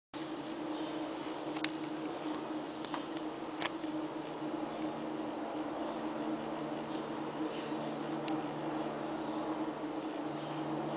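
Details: Ventilation equipment installed April 2009 in a basement boiler room, at times running loud around the clock: constant droning roar with steady low hum, no speed change; loud ventilation fan rumble, cause unknown.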